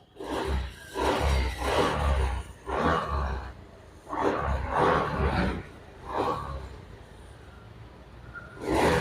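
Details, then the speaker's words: Honda Beat FI scooter after fixing a lost-ignition fault in the wiring, plug cap refitted, started (runs even without battery): repeated throttle blips rising cleanly and settling evenly; normal running and revving. "Sekarang kita coba nyalakan dulu, kita starter. Nah ini motor bisa hidup."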